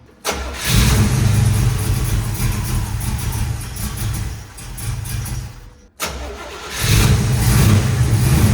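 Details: 1970 split-bumper Camaro V8 after straightening distributor (vacuum advance had been pushed fully in, limiting timing): cranks briefly, catches, settles into lumpy but steady idle, restarts same way; runs fine, distributor later to be moved one tooth.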